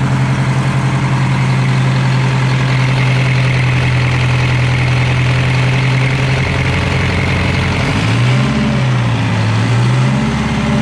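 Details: Detroit Diesel 4-71 two-stroke, first run after rebuild with injectors set and smoke gone: deep steady drone at even idle, then pitch wavers as revs are adjusted; runs smooth and healthy.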